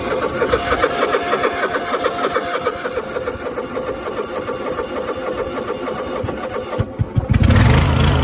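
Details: Cheap used zero-turn mower with intermittent hard starting: starter churns steadily for about seven seconds before the engine finally catches and runs.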